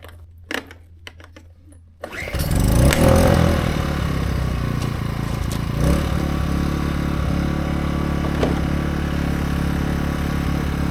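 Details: AiVolt 1600/1260 W gas portable inverter generator, new: a few quiet clicks, then one pull brings it to life and a steady, even low hum settles in; starts easily and runs cleanly.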